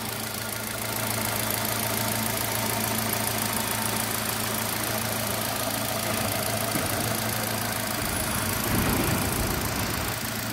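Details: Engine after hydraulic lash adjuster replacement, which was done to cure a ticking noise from the head: steady, even idle with a smooth low hum and no ticking or tapping, fully smooth.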